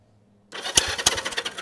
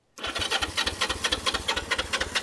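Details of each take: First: 1973 Honda CB360 twin, bought cheap and sitting with tank missing, cranked on a jump box with spark plugs out to check compression; uneven chuffing pulses about three a second on both cylinders, sounds like healthy cranking compression. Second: 1973 Honda CB360 twin with tank missing, air cleaners off and throttle seized, run briefly on starting fluid squirted into the intakes; uneven loping pops that stumble, then rev louder and smoky; rough running, carbs not rebuilt.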